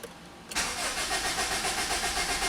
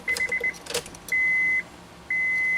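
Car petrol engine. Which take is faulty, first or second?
first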